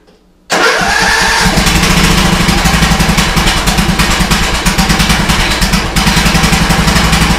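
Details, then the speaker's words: Old custom-built Troy-Bilt riding mower, cold start with no choke: catches right away after a brief crank and settles into a steady, even putter; clean first-try start. "So I'm gonna press down on the brake for a key in. And let's see if it fires on the first try. So normally it does."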